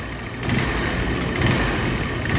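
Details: Honda Trigger bike with its engine newly fitted, silencer installed, engine held by only two nuts so far. Single-cylinder ticks over smoothly and evenly with a light exhaust note; no knocks, rattles or misses, and no smoke from the silencer. Sounds healthy.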